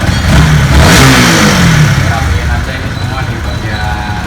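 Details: Honda CB150R single-cylinder after reassembly, replacing worn clutch parts and shims to correct valve clearance that caused rough engine noise: revs up cleanly and settles back smoothly, even exhaust note, no rough tapping; normal revving.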